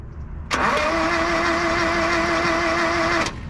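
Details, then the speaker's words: 1976 Ford Courier mini truck, long unused, with starting fluid, in neutral; nearly three seconds of steady starter whine and cranking with no firing and no galloping, though compression is later heard. Cranks but no start. "go forward crank it it's cranking do it again it don't sound like it's Galloping either"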